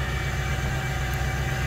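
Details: Ford Powerstroke diesel with utility body at 11°F: steady, even low diesel rumble with no misses or knocks, a smooth healthy idle right after cold start; light gray-white cold-start smoke, turbo spool audible; normal cold start idle.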